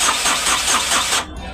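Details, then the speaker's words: Ashok Leyland Dost diesel after crankshaft repair, cranking with scanner live data showing engine speed: steady, even compression pulses for about a second, never catches; engine speed signal works but no diesel is reaching it. "मेरा engine speed भी काम कर रही है और मेरा तेल नहीं आ रहा यहां पर डीजल नहीं आ रहा"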